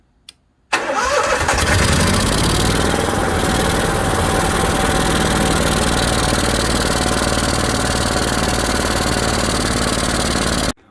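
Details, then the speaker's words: Onan 5500/7000 Marquis Gold RV generator on first start after service: steady but slightly uneven, ragged beat; running lean and starving for fuel. "Okay, while running this thing, it kind of sounds a little bit lean. You can tell it's starving for fuel just a little bit."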